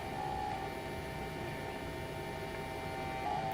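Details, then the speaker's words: 1946 Packard car radio under repair, switched on: steady thin electrical buzz with a faint high whine as the vibrator power supply starts up and settles down normally. "so let me turn it on and you'll listen to my vibrator go through its little sung and"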